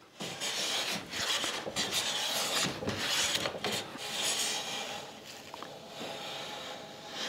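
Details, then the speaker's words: Freshly tuned Quangsheng No. 5 1/2 hand plane planing maple: even clean hiss of long strokes with a light rasp and no chatter, a smooth cut producing fine shavings. "that's cutting through that maple like butter which is exactly what we want"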